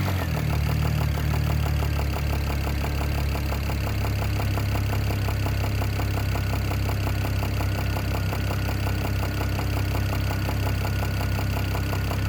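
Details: BMW E92 335i N54 at settled idle: fast, somewhat uneven light knocking under a heavy low drone. The owner suspects the top end but is unsure; the source is undiagnosed.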